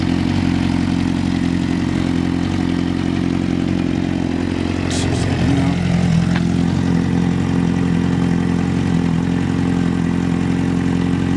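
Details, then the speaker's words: 2006 Honda CBR600RR: start-up on first crank, then a smooth, even idle with a steady low hum and no knocks or misses; engine sounds healthy. "Start up, first crank. I'll back up. I don't want you guys to be like smothered with that sound."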